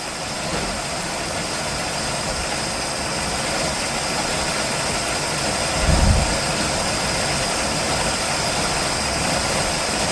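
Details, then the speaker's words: 1969 Chevelle barn-find V8, cold, first start on freshly rebuilt carb with old needle and seat: shaky, uneven idle with a stumble; owner suspects rings still stuck from sitting; rough idle, cause unconfirmed. "So, it's running. It's kind of shaky, though. Yeah, not the greatest. Could still have rings that aren't fully like released from their bond on their pistons or from sitting."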